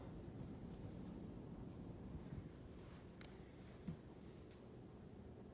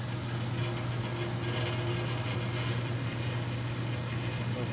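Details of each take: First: Furnace return grille after fixing a reed-effect noise by carefully bending the grille louvers; soft steady rush of air with no reedy buzz or flutter, quiet as a mouse now, normal furnace airflow. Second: Furnace running with a steady low hum over rushing air as the return grilles buzz like reeds in heavy airflow; reed effect, fixed.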